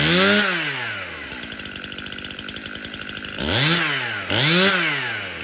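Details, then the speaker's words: Stihl MS 271 Farm Boss 50cc chainsaw after service (cleanup, new filters, new bar and chain, needle bearing and drum sprocket replaced): crisp revving that rises and drops evenly with a steady idle between; starts, runs and oils well. "okay so this steel Ms 271 starts good runs good and it's oiling"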